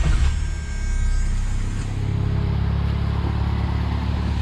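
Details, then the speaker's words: 1979 Honda Accord 1.8 CVCC with Weber carburetor conversion, fully warmed up, choke not yet hooked up, after backing the idle mixture screw out two full turns. Low, steady idle with a brief blip, no hunting or misfire; the earlier miss is gone. "i mean it's gonna be a fun car to try listen to her just purring now"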